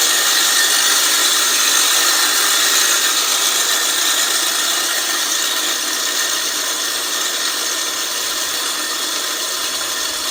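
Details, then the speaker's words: California Trimmer RL20H 20-inch 7-blade reel mower, Honda GX120, backlapping in reverse with drill and compound: gritty grinding hiss eases and quiets as compound wears off and reel spins freer. "as you guys can hear there and see there it definitely started spinning up a lot Freer as that compound went to work"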